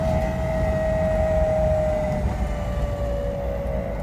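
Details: BMW 635csi E24 driving: a steady hum and whine under road noise that follows road speed, not rpm; it seems to come from the engine area, is quieter under load and fades when hot; worn driveshaft center support bearing, fixed by replacement.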